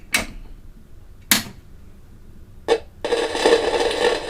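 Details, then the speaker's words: Kaiser W1835 tabletop radiogram with electrostatic speakers, on a signal tracer: sharp irregular crackles, then steady hiss and crackle. Crackling persists even with capacitors disconnected down to a 100 pF capacitor; the noisy component is not yet found. "I've got the tracer here and it's still making a noise."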